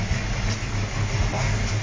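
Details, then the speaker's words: 1977 Holden Torana A9X-style V8 with an aggressive cam, sounding like a hottest-cam 308, gives a deep, loping idle with an uneven thump-thump rhythm; healthy lumpy cam idle, not a street sound. "So you've got that cam sound about it. It's just not a street sound. There's nothing more boring than a bit of a muscle car that doesn't have a lumpy sound to it."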